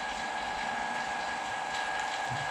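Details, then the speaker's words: Vacuum pump pulling vacuum for a carbon fibre infusion layup: a smooth, constant hum with a steady mid-pitched whine and no knocks or surging. The pump runs normally. A small leak was later traced to the gum-tape joint at the inlet. "hopefully the pump isn't too noisy on the video if it is I might have to move it outside for future"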